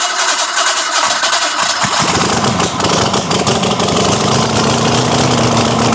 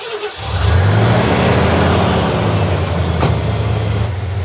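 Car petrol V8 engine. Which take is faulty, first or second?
second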